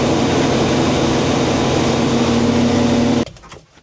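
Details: International 1440 combine running with the head hooked up after a new feeder belt and pulley were fitted: a steady, even drone and smooth mid-pitched hum, then a clean shutdown, nothing knocking or slipping.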